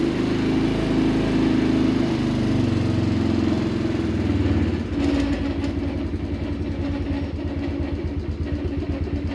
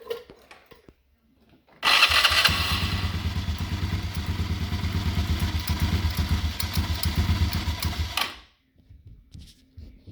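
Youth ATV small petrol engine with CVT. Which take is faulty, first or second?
first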